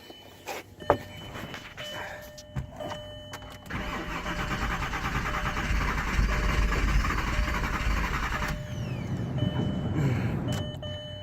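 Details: VR6 turbo that starts fine cold but won't restart warm after a few minutes off; temp sensor already replaced, jump pack attached; steady cranking at about 2.5 turns per second for several seconds, never catching; warm crank, no start.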